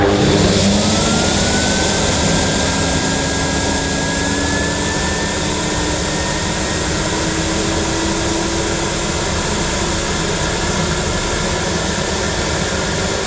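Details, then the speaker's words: 1998 Hoover Alpina Filtra vacuum with the hose fitted and reaching nearly 100 on the suction scale: a steady motor roar with a rising whine and a rushing hiss as air leaks in past the suction valve and locking ring seals. "but I did have to hold my hand over the suction valve here and partly over the locking ring because there was a lot of air escaping I could hear it rushing in"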